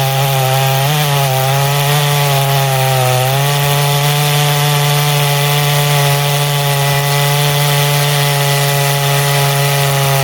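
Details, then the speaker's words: Poulan 5200 chainsaw, test cut in wood: strong steady buzz sags briefly as the chain bites, then recovers and holds even; normal cutting under load. "But when I get back together, you'll see in about 2 seconds, I'll have a couple test cuts with it, play with it, get a listen to it idle."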